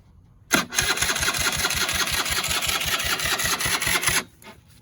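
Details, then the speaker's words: Barn-find Polaris Predator 500 quad on jump pack, starter system has a known history: about 3.5 s of labouring slow cranking that never catches; owner suspects loose connection or weak starter motor, not confirmed. No start. "Now, I think that is the fact that it doesn't have enough power to turn the motor over. I think the starter motor is weak."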